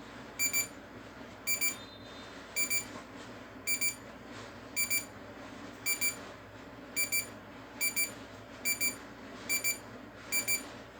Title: DIGITAL CLOCK IS NOW BEEPING SOUND